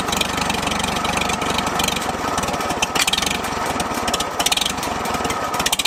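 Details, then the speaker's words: Revived abandoned Farmall H tractor started with the PTO engaged after refilling water and oil; said to have a big cam; loud, uneven, lumpy idle with irregular popping and spitting from the exhaust, cause not determined. "got a hog ass cam you hear that thing spitting"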